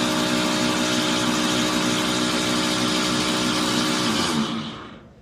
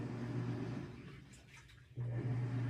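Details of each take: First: Samsung washing machine, before repair: loud, harsh grinding with a fast rough rattle, then it winds down to silence; a worn plastic gear was grinding against a metal gear. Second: Samsung washing machine after replacing a worn plastic gear that was grinding against a metal gear: runs with a steady low hum, no grinding or knocking; normal running.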